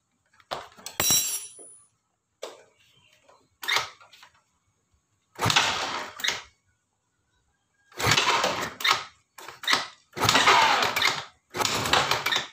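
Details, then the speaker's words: Yamaha Soul GT injection scooter whose injector had not sprayed: short sharp hissing bursts show it spraying normally after fixing the ECU negative wire to the TPS/MAP sensor (black wire, should be blue). "Hai untuk injectornya sudah menyembur"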